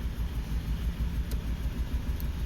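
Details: Suzuki Grand Vitara running rough with no stored fault codes and short-term fuel trim at 14–17%: low idle with an uneven, lumpy beat and recurring stumble; a compression test found one cylinder with low compression, causing a mechanical misfire.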